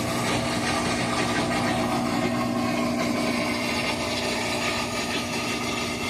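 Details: Whirlpool WTW4816FW3 top-load washer bought 2023, control board replaced three times, switched off with no lights or water: loud steady mechanical whir with uneven grinding vibration. The motor runs uncommanded, a recurring grinding "jet liner" noise.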